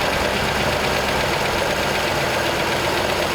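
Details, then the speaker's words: 1939 Ford convertible sedan flathead V8 found in a barn, first running after the distributor was identified as the problem, right off the choke; rough but even idle chatter, steady rhythm, no misses or knocks; normal idle. "okay now we got ignition wow that's great okay our our distributor was a problem yeah definitely"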